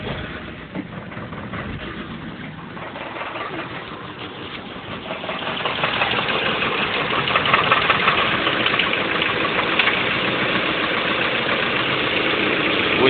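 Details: 1990 Honda Accord LX petrol engine with new standard bearings idling with a steady knock about three a second, growing louder; owner suspects rod knock or wrist pin, possibly skipped belt tooth, unconfirmed.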